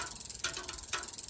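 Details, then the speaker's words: Road bike rear derailleur in easiest gear with the low limit screw loosened, wheel spinning: quick freewheel clicking with a sharper tick about twice a second as the derailleur cage catches the spokes. "that i can press the derailleur into the spokes of the wheel now the issue with that is if i can hit the spokes of the wheel with the derailleur"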